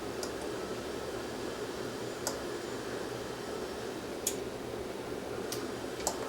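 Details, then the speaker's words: Sony STR-AV450 receiver on bench power: faint isolated power relay clicks over quiet hiss when power is pressed, standby light dim, but it never powers on. "Heard a relay click in there, but no power."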